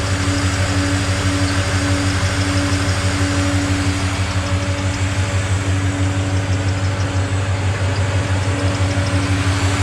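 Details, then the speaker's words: Nissan GU Patrol with LS1 V8 at idle after new gasket, slave cylinder and exhaust leak fixed: steady, even low idle with smooth exhaust note, no ticking or puffing; faint belt whine as power steering pump squeaks, water on pulleys from radiator wash. "smells nice oh idle's nice the power steering's making a bit of a noise and there's a bit of water on the pulleys [Applause] it's so quiet here no more exhaust leak"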